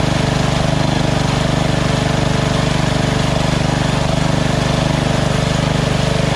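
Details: Small single-cylinder lawn tractor engine after the surging carb was replaced with a Chinese-copy Nikki 590399 on an O-ring manifold with backward 90-degree fuel nozzle: steady, even idle with a regular beat, no hunting or surging.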